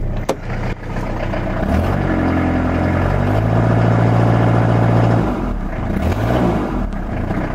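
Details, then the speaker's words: Renault Master 2 2.5 diesel van, running with intake fully open: restarts straight away without throttle, revs smoothly with a clean rising note, then settles to an even idle with no misses and no smoke. "S'il a redémarré un coup direct là. J'ai même pas mis un coup de gaz."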